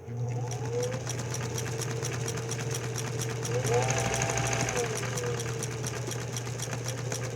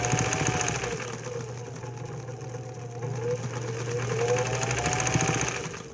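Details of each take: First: Singer 206/306 sewing machine using standard 15x1 needles at two to three stitches a second, with a light tick each stitch as the needle strikes the bobbin case arch, pulling the stitch line to one side. The fix is a modified bobbin case. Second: Singer 206/306 sewing machine running 15x1 needles with a modified, honed-out bobbin case: steady even motor hum, and the needle ticking heard with the stock bobbin case is gone now there is enough clearance at the arch; normal running.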